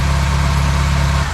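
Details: Classic Austin Mini engine run up after first start in 9 months, while ignition timing is being set; steady even low idle, no knocks, misses or rattles, sounds beautiful and idles nicely.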